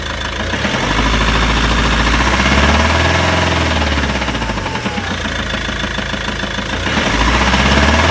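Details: Volvo V70 2.0 diesel idling with a dull knock about four beats a second, swelling and easing with revs; owner suspects the clutch or dual mass flywheel, unconfirmed.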